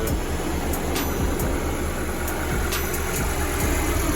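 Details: BMW 750Li roadside call, just after fan replacement: engine idles with an even low rumble and steady fan rush behind it, no rattle or grinding; runs healthy with the new fan working.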